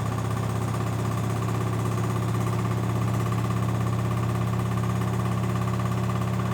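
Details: LG 1007 SNW 7 kg washing machine during wash: heavy steady low hum with rough pulsing rattle about three times a second; excessive vibration, recurring after others left; cause suspected, not confirmed.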